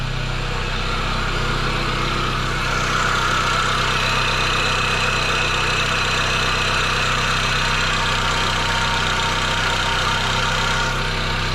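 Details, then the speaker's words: 2002 Pontiac Sunfire, off the road since 2011, idling after fuel pump replacement with a fast, fairly even tapping clatter about four a second; owner suspects lacking lubrication, source unknown. "so that noise is just not getting any better i'm thinking about missing some like lubrication up in that mug i really don't know what that is"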